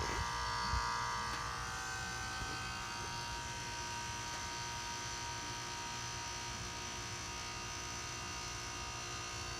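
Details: 2006 Nordic Air heat pump outdoor unit: steady electrical buzz with no fan whoosh while warm air still blows indoors. The unit is energised but the fan isn't turning; the fan starts normally about 30 s after the noise stops.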